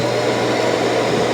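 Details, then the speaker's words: Dreame L40S Ultra CE robot vacuum dock auto-emptying: even steady rushing suction, not too loud, no knocks or rattles; normal operation. "Okay, it's gonna auto empty. Start auto empty."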